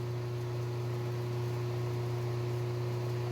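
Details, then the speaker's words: 1995 Harbor Breeze Summit ceiling fan with lit motor housing at medium, its loudest speed; strong steady low hum with faint buzzing as the whole fan vibrates, the bulb filaments shaking; cause not confirmed. "it vibrates a whole bunch every part of the same vibrating"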